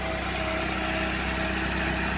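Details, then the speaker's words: GM LSJ engine at idle: faint quick belt-like chirp, heard while driving. The owner suspects an exhaust gasket leak, possibly a broken or rusted stud, not the belt. Unplugging a component caused a misfire and the chirp went away. "to hear it when I unplug this we hear a misfire but that little chirp went away so like I said that leads me to believe to come back that leads me to believe that it's an exhaust gasket week"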